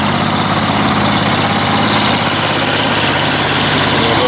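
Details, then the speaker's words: Refurbished Wolf PM-Quantum 35 mower fitted with a Toro muffler, nicer sound than before: loud, even, rapid firing beat, no knocks or misses; normal idle. "Avec le pot de la Toro, il a vraiment un beau petit bruit, hein, comparé"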